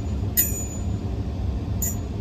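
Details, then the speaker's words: Daikin gas package unit not heating, showing ignition failure/open rollout or limit switch: draft inducer wheel spun slowly by hand gives a sharp metallic scrape about once per turn over a low rumble; wheel rubbing its housing. "I went ahead and gave that a spin. Sounds like it's hitting something, huh?"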